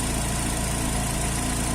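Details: 2005 Astra 2.0 8-valve engine idling after replacing a damaged spark plug whose core was spinning, which had caused a typewriter-like clatter. Now a smooth, even idle with a steady low hum and no ticking or knocking: problem solved.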